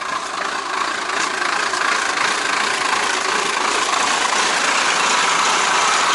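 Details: Beaver motorhome on a cold day, about 35-36°F, started after its low-water starting battery was charged for about 24 hours: steady, even idle, roughly three beats a second, without stumbling; normal idle.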